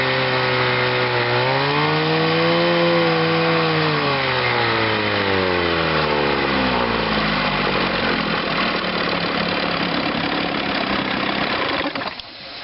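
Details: Chrysler two-stroke outboard on a test wheel, in gear under power during a charging check (12.93 V battery rising to about 14.5 V). It pulls cleanly, pitch climbing then easing with throttle, firing steady with no misses. Normal running under load.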